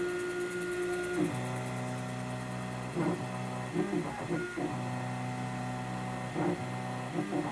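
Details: ITL key cutting machine after Dynamat sound deadening was added to stop its rattle, running with code 2222 and no key: smooth motor hum with steady tones that shift as the carriage moves, no rattle or grinding. Normal running.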